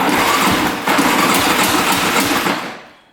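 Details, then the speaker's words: 2002 Yamaha Warrior 350 quad, non-running, cranking on the starter: quick cranking with a metallic clank each turn; owner suspects the one-way (starter clutch) bearing, cause unconfirmed. "Sounds a little clanky in there. Could be the one-way bearing though."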